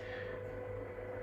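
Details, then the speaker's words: Reef Factory KH Keeper alkalinity tester during a test cycle, reagent being dosed into the cup and stirred: steady mid-pitched whirring hum with a faint buzz, audible from across the room; loud pump and stirrer noise. "is pretty noisy. That's it. Putting the big dose in, then what it does is it'll do little tiny doses into the cup, because basically what's happening now is it's stirring it up."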